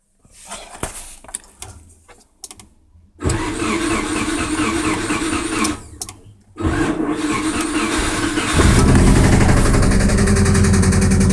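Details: 1998 Subaru Impreza GC3 EJ16 petrol engine, 250,000 km, often revved to redline: cranks and starts twice, then runs with a steady knock about four beats a second. Blown engine, cause suspected, not confirmed.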